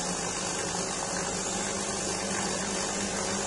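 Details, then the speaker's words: DeLonghi EC270 espresso machine after fitting a new 20-bar water pump: even steady buzz, no stutter or rattle as it primes; pump sounds normal, water then flows. "Ah, déjà le bruit est normal. C'est bon signe."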